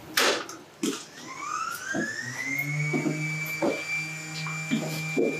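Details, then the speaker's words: Solar-farm GIS switchgear room during breaker earthing work: a motor tone climbs, then settles into a steady hum with a few sharp clacks as the ventilation louvers drive shut. Normal louver closing. "noise is just the louvers closing on the ventilation system."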